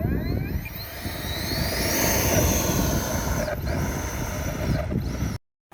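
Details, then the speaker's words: FlyFans L39 electric ducted-fan jet on a 4S 2600 battery instead of 6S, during the takeoff run: fan whine climbs and wavers as thrust drops out briefly several times. The motor is sputtering under power; the cause is unconfirmed, and the power system was later replaced. "So when this thing was going uh trying to get up to speed to take off um it was like the engine was sputtering."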